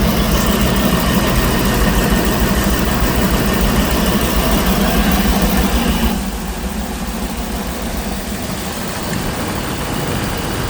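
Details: Ford Triton V10 in E-450 RV, first start-up after replacing coil packs and spark plugs and oil change: smooth even low rumble, no misses or ticks, settling slightly quieter partway; healthy idle.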